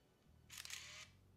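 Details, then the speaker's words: Yashica 200-AF autofocus SLR (1980s) firing: a single sharp, loud snap with a short whirring rush about half a second long; loud shutter release and mirror slap, normal for this camera. "now if you're wondering what the shutter sounds like it's a bit loud and when the mirror slap said you can definitely hear this it's is not a stealthy quiet camera so here we go"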